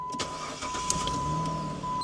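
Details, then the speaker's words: Jeep Grand Cherokee at a public auction, a Northeast car said to be rusted underneath: engine catches and settles into a smooth, even idle with no knocks, ticks or misses; sounds healthy. "Sounds good, sounds healthy."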